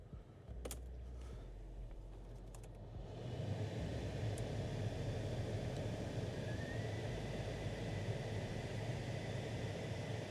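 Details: Toyota Altezza / Lexus IS300 after repairing noisy A/C servo behind the dash: after a click the blower spins up to a steady, even rush of air with no rattle or squeal; clicking gone, fan normal.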